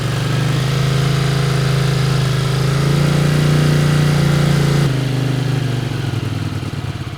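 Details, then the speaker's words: 1981 Honda CX500 idling after first start in years; owner thinks it may need a tune-up and might smoke a little. Even, steady idle with a firm low drone, no misses or rattles, dropping off smoothly; normal idle. "Might need a little bit of a tune-up, but Yeah. I think it's running pretty good."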